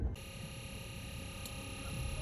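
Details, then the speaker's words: New RecPro 12V four-chamber RV fresh water pump, replacing a leaking old one, first test run with empty tank: steady even electric hum and constant whine, no knocking or surging; pump running normally. "pump button is on and you can hear it."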